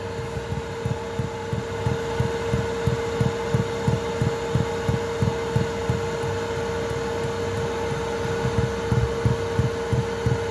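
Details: Chinese 2kW 12V diesel heater in a VW Transporter T4 at full power: soft regular low thuds about three a second over a steady heater hum as the fuel dosing pump knocks against the boxing-in, before the quieting fix.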